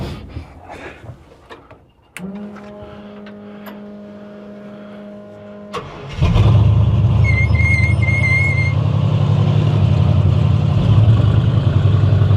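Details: 1960 Chevy Biscayne that ran progressively worse after the distributor went in, started at the shop: it cranks, catches and runs lumpy and heavy with a low, uneven pounding. The owner suspects timing; bottom-end bearing damage, rod knock.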